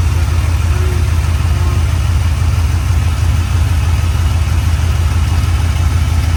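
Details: LS-swapped 1967 Chevy C10 with suspected plugged injectors, started cold with heads around 60 degrees: rough, lumpy, uneven idle. Only four cylinders firing because the injectors on one bank were accidentally left unplugged.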